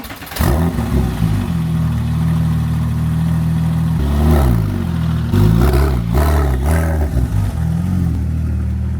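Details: Porsche 911 Turbo on a test drive after new spark plugs and coils, with an undone intercooler pipe now reconnected (it idled poorly before): the engine pulls smoothly through the revs with clean gear changes and no hissing or misfire; boost holding.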